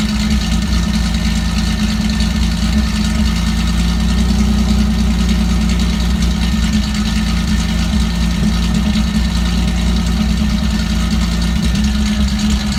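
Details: Steady idle with an uneven, lumpy low throb and repeating stumble, a misfire at idle; unplugging the MAF sensor and plugging it back in made no difference, cause still unclear.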